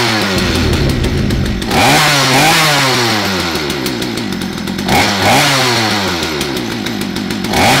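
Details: Poulan P3416/P3314 chainsaw after cleaning, hose replacement, carb rebuild and a spark plug gapped to about 28 thousandths: the two-stroke buzz swings up and drops back cleanly on each throttle blip, with even firing and no misses; the saw runs healthy.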